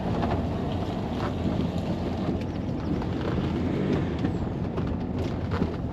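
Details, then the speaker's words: Range Rover L322 TD6 diesel being checked for a suspected knock, after a vacuum hose fix that cut much noise: steady low diesel drone with turbo whistle under wind rustle, even, no regular knocking; no knock, normal running. "all you can hear is the turbo whistle which is well obviously a shedload of engine rattle but yeah just the turbo wh was quite Pleasant so no we haven't got any knock"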